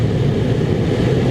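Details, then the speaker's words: 2006 Nissan Frontier 4.0 V6 whose AC and heater blower had worked only on high, after the repair: a steady, even fan rush with a low hum and no rattles as the blower runs on speed four; now working normally. "four nice it's working now you know what let's turn it off stop the car"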